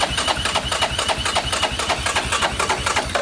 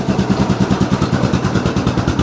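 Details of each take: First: 2002 Yamaha Grizzly 660, sat 8 years, with a new aftermarket carburetor, new spark plug and choke on: steady starter churning without ever catching, because the fuel valve was left off. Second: 2002 Yamaha Grizzly 660 single-cylinder ATV, sat 8 years, running cold with idle slightly raised: an even putt at about ten beats a second, steady and clean with no misses or clatter. A healthy idle.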